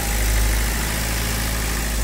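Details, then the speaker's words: Toyota Corolla Altis after replacing a slipping starter with a second-hand unit; a steady, even low rumble with no misses or knocks, engine idling smoothly: normal idle. "अब देख सकते हैं replace करने के बाद कैसा sound ए रहा है कैसा फायरिंग है"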